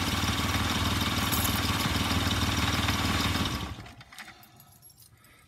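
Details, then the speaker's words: Car at warm idle after about 10 minutes of running and charging, following a temporary alternator repair where a deeply grooved, debris-packed slip ring was soldered and filed. It catches and runs with a quick even beat, no whine or stumble. Normal idle; the fix appears to hold until a new alternator arrives. "looks like it will get it through until the new alternator comes and I'm really interested now and to see what the new alternator puts out"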